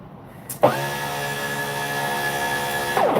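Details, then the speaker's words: Custom 3D-printed 70mm EDF quadcopter with dynamically balanced motors. A sharp spin-up leads into a steady, high, rough fan whine that was not there at first boot. The owner suspects the motors are not 6S, or possibly debris. "see they didn't sound like that when I first booted it up."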